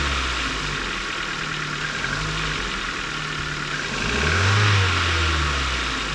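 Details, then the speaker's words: 2008 Ford Focus Mk2 1.6 petrol Zetec, about 170,000 km, Castrol Magnatec 5W-30, cold after sitting overnight, microphone near the engine: a light, fast clatter at idle for 2–3 minutes; owner suspects the valves. "teraz ford focus z 16 benzyna silnik jest zimny klekocze klekocze przez jakieś 2-3 minuty podejrzewam że są to zawory"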